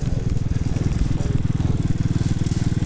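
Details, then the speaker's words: Childhood moped while riding: rapid, fairly regular clatter of about four knocks a second over the engine. The drive chain is slack and slapping because its tensioner has come off. "to us, something's wrong with the chain, I don't know what, but something is clearly happening with it."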